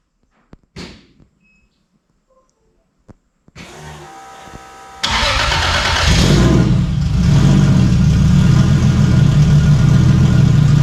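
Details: Stock Toyota 1JZ engine swapped into a Fox Body, first test fire: short crank, then catches cleanly and settles into a steady, even idle with no knocks or misses; healthy start.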